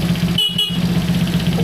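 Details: Honda C200 motorcycle after a 12V conversion, first run: two short, clear horn toots over a steady idle, each bright and even; horn works properly.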